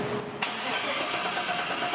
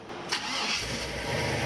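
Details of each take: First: 1977 Chevrolet K10 shortbed swapped to a 5.3 L LS V8; two cranking bursts of about three seconds each, starter chugging evenly but the engine never catches because the fuel pump does not run, later suspected to be swapped purple and gray wires. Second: 1977 Chevrolet K10 shortbed swapped to a 5.3 L LS V8, after getting the fuel pump running and cycling it to purge air; a brief crank, then a clean catch into a steady, even idle with no misses or knocks and no fuel leak.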